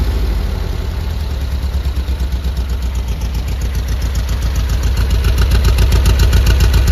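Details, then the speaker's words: 1973 VW Squareback flat-four after rebuild, worn carbs: steady even low thump at idle, about 220 pulses a minute, no misses or knocks; normal idle. "but now running lovely yeah these carbs are worn I've said in a previous video"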